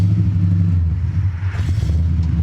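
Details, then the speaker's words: 1979 AMC Spirit AMX, AMC 304 V8 converted from carburettor to ACES throttle-body EFI, after one tuning setting change: with the clutch in, the rumble sags briefly, then catches back to an even idle. Idle recovers without stalling on deceleration. "you hear that it's catching itself it's learning I think I did a thing all right so if I throw a clutch in normally it would have died right there"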